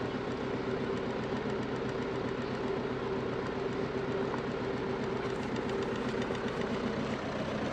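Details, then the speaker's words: Diesel motorhome engine at steady idle with a faint light valve tapping under the clatter; owner suspects a valve sticking in its guide so the piston strikes it repeatedly, and on removal finds a wrong valve stem seal fitted. "I think we can hear it. The tapping of that valve."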